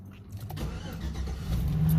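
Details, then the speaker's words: 2009 Chevy Silverado with suspected ECU failure (intermittent no-start, power cutting out, powertrain relay clicking, flashing check engine light): brief crank, engine catches and settles into a smooth steady rumble; starts normally now. "right now you turn it on and it turns on well"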